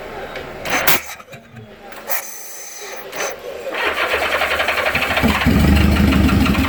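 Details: Honda GL1000 motorcycle: even, rapid cranking at roughly three and a half turns per second that keeps spinning but never catches or fires; crank, no start.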